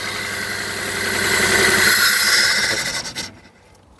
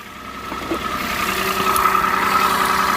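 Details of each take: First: Peugeot 107 three-cylinder petrol (Toyota Aygo/Citroen C1 type), cold, one coil pack failed: running rough and shaky, then with another coil disconnected it breaks into lurching pulses and stalls, unable to run on one cylinder; method to find the dead coil. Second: Peugeot 107 three-cylinder on a cold day, after replacing the dead coil pack: steady idle with a faint lumpy pulse but no misfire. Runs fine.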